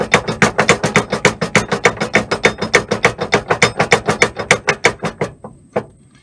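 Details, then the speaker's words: Pickup trailer hitch: rapid metallic clunking, about three knocks a second, from the loose drawbar rattling in the receiver while towing; fixed by clamping it tight with a 4-inch exhaust muffler clamp. "this old guy DIY technique has to do with eliminating the rattle that you oftentimes hear when you're dragging a trailer"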